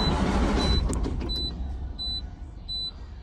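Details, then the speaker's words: 2018 Cummins X15 diesel with clean filters and rail pressure around 5,000: steady starter churning with repeating high chime, never fires; cranks but won't start, fuel present, problem traced to turbo. "there is pressure and there is fuel so i just you know so it does want to start but it doesn't let it"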